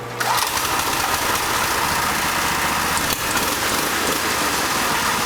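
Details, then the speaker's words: Go-kart brought in as not starting, likely cold winter weather and slow cranking; rear wheels lifted off the ground, air box removed, started on choke. Engine catches almost at once and settles into a steady, even buzzing run with no misses; normal cold start. "Alright, so it started."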